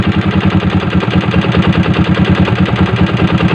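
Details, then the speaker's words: Yamaha Jupiter MX motorcycle with no compression, running rough: loud rough idle with a hard metallic knock about twice a second in step with the engine, from the connecting rod; block also damaged; connecting rod knock. "parah itu di bagian stang seher teman-teman kelotek kletek kletek kletek kletek kletek"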